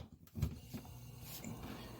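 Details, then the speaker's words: Refrigerator compressor after installing a Supco URCO 410 3-in-1 start kit: steady low hum settles within a second after power returns, no clicking or buzzing, fan turning; normal compressor start. "You can hear the compressor going, and the fan is turning here."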